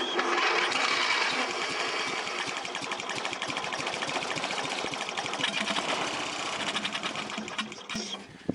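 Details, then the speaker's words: Old Husqvarna lawn mower that sat with bad gas and would not start: it fires only on gas poured into the air intake, runs rapidly, then fades within seconds. Fuel starvation; debris in the tank from a rotted gas-cap seal. "so it looks like we're dealing with a fuel problem we look in here and there's a bunch of debris down in the tank"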